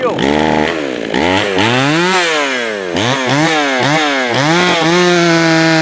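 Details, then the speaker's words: Jonsered 525 chainsaw: revs rise and fall, stumbling and hesitating off the throttle before recovering; too lean on the low-speed side, so more fuel is given on the low-speed screw and the idle screw raised. "leave the way that it hesitate off the throttle that tells me that it's got uh it's too lean on the low side so I'll give it a little bit more fuel on the low side"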